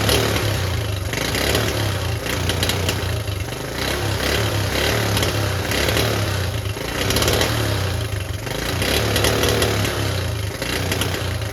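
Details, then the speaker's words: Restored Honda Cub C70 thought fixed but not right; points advance mechanism under the magneto cover suspected: single-cylinder putter hunts and surges unevenly instead of holding steady; ignition points timing incorrect. "yeah thought it was perfect I think you know why it wasn't perfect I just took the Magneto cover off again or the magnet off"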